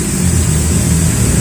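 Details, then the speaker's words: Maktec MT60 drill after fixing a rough, cracking gear noise by filing and adjusting the gear, without replacing bearings or armature gear: steady even whir and smooth low hum, no grinding; gears now smooth. "use a file, our drilling machine will make it smooth again"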